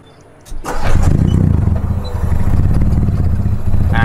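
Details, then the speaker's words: Mitsubishi Lancer CK4, already warm engine, damaged airflow sensor fitted, no throttle: catches after cranking then lopes at a very low, uneven rpm, barely staying alive; hard start and very low idle from the faulty sensor. "यह शुरू करना चाहता है लेकिन आरपीएम है बहुत कम। हमने धीरे-धीरे गैस छोड़ने की कोशिश की।"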